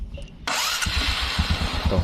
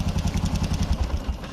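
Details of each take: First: Old carbureted Honda Supra X 125 after a new rebore, valves and cam chain tensioner: starts first try and settles into a steady, even idle about three beats a second, no valve tapping; valves need readjusting after a week's running. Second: Old carbureted Honda Supra X 125 with new bore, valves and cam chain tensioner, quiet at first but noisy after weeks: fast light ticking over each firing pulse at low and high rpm; valve tapping from excessive clearance.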